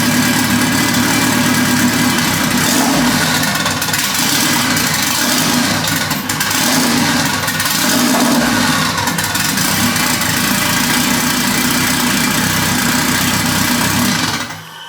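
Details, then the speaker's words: Honda Civic with built turbocharged H22, first start, oil pressure good, fuel pressure about 40–43: loud revving engine stumbles and sputters when throttle is snapped open, then dies away; running way too rich, smells gassy. "Yeah, so a little rich it seems. I don't know what you're seeing on the wideband. Smells very gassy."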